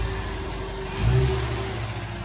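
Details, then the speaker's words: 1969 MGB recommissioned after dry storage since 2001, during carburettor work; throttle blip with revs sagging back slowly to idle, better than before after freeing throttle spindles and butterflies. Slow return to idle. "engine the revs are quite slow dropping back down to either again it's better than it was"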